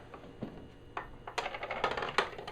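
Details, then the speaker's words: Harbor Freight 12-inch double-bevel sliding compound miter saw, item 61970, motor off, after oiling cured a creak: light irregular rattling clicks as the blade guard swings down; guard chattering, to be taken apart. "I am going to hold the guard up because there's a secondary noise we're going to address momentarily but now you can hear it's nice and quiet none of that creaking this guard is doing a little bit of chattering"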